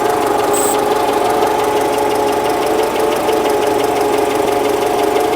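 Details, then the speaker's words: Citroën running with an intermittent fast rattle and scraping near the alternator area; owner unsure it is the alternator, noise comes and goes. "I'm not convinced it is the alternator. What is it then? I don't know, it's in this area."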